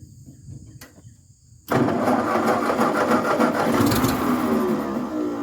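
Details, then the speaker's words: 1950s Ford 8N tractor (converted to 12 volt, new starter, supposedly new carb, gravity-fed fuel setup) cranks then catches and runs rough and uneven without settling; starts but runs poorly, owners suspect fuel issue despite carb cleaned twice. "as you can see it's kind of wanting to run we're having a fuel issue we've been through the carb a couple times that's supposedly a new carb it looks nice inside but it just isn't wanting to work"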